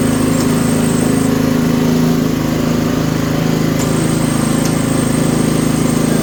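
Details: Toro 724 OE 1000 Series snowblower, 7 hp, 24-inch clearing path, in for service: a steady, even small-engine drone with a quick regular beat and no misses or surges. It is running cleanly and normally.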